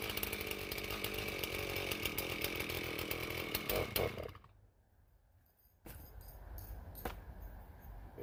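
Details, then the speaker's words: Stihl MS391 chainsaw with hanging idle complaint, cold start after sitting two to three weeks, before muffler mod: holds a fast raised idle about four seconds before cutting off; idle running too high, tuned rich side suspected. "it started and ran probably i don't know two or three weeks ago so this is definitely a cold start"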